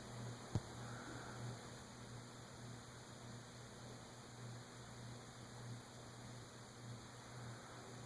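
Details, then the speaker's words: Emerson 6-blade 30-inch Longnose (Fernleaf) antique ceiling fan, believed 1920s, first test after assembly, stiff to start: low, even mains hum with soft steady whoosh, no ticks or rubs; running smoothly and relatively quietly. "I've got some speed controls we can try. But it is going smoothly and relatively quietly."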